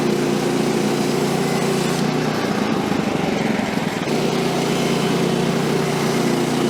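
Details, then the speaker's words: Woodland Mills HM130 Max portable sawmill after tensioner bearing replacement and blade guide work, cutting small silver maple log: engine holds steady drone, dips briefly as blade takes the cut, recovers smoothly, no grinding; normal cutting under load. "Get reclamped and we'll line up for the next cut. She's cutting really good now."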